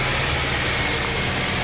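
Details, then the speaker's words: Honda Civic Type R EP3 with K20 engine, cold: a steady, slightly raised idle with an even hum and no misses, as the ECU runs it fast for 30–60 seconds to heat the cat; later the seized idle control valve makes it hunt. "Alright, the ECU runs the engine a little bit fast, get it all hot, gets the cat working nice and quickly, and then it sits off into an idle mode."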